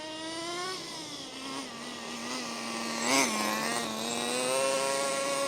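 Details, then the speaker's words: HPI Racing MT2 4WD nitro RC truck, drill-started: small engine buzzing at steady high pitch, sagging and recovering briefly; idles better but still high, throttle linkage suspected. "Well, it's definitely idling a bit better. It's still idling quite high, but I'm happy with it."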